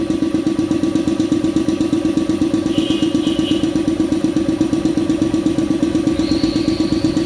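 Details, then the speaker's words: Shark 1 HP twin-cylinder belt-driven compressor (550 rpm, 83 L tank, 7 bar) filling its large tank, which auto-stops around 90: fast, even piston thumping at a constant pace with no knocks or rattles; healthy, normal running. "Ya ini dia lumayan lama mengisi karena ini kita coba lihat kapasitas tangkinya ya"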